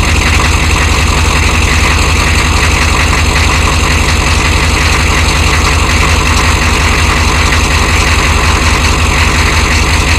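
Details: 1993 Chevy dually 6.5L turbo diesel 4x4, smoky cold startup without block heater, idling: steady rattling knock roughly three a second over the low rumble; engine knock at cold idle, source not pinned down.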